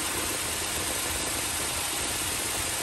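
Steady, even idle with a constant hiss and no knocks or misses; the engine is running smoothly.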